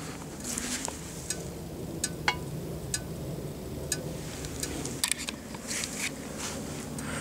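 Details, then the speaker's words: Briggs & Stratton OHV 6 hp mower engine, recovered after sitting two years partly dismantled, with water in the oil: engine off, scattered sharp metallic ticks at irregular intervals. Normal sound of a hot engine cooling down. "De retour au moteur, là on l'entend encore qui refroidit."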